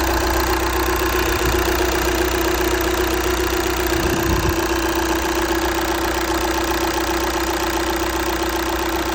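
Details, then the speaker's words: 2014 2.0 TDI turbo diesel after cleaning fix for misfire, which caused shaking at start and a constantly lit glow plug light: steady, even idle with usual injector clatter, no shake or stumble; running smoothly, no vibration. "So, now nothing. Car is so normal. I don't have no vibration."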